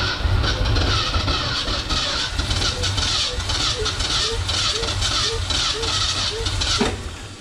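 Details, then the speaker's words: 1969 Ford F-250 sitting since 2001, engine previously stuck, first start attempt: long cranking with uneven chuffs, odd catch about twice a second, never picks up, only a couple cylinders firing; suspected transmission-oil-fouled plugs and/or low compression. "probably either that transmission oil got uh fouled at the spark plugs or low on compression or a combination of both but uh it's it's firing on a couple cylinders"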